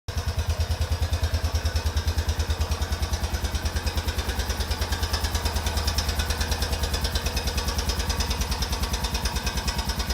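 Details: 2004 Honda Rincon ATV about 30 seconds after a fully cold start, idling with a steady rapid knock sharpening each firing pulse; the noise disappears once warm and returns only after the engine cools.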